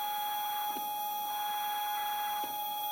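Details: Single Z-axis stepper on a Duet board, 2 A, acceleration 120, feed rate 2000, phone on the desk: a thin high steady whine near 800 Hz with faint overtones and brief ticks. Stepper singing at this speed.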